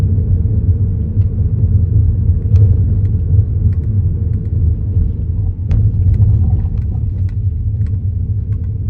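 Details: Kia Niro driving over speed bumps: deep cabin rumble with sharp clunks and knocks from the suspension.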